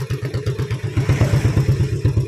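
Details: Yamaha Vega ZR burning over 50% of its oil in a month, white smoke when revved: rapid idle with dry metallic top-end clatter from a worn, stretched cam chain and worn camshaft; worn piston rings and liner.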